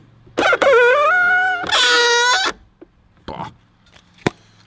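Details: BMW X1 E84 power-folding exterior mirror hinge: two loud squeals rising in pitch as the mirror swings in and out, louder after spraying silicone oil; dry, dirty hinge rubbing, later treated with graphite oil.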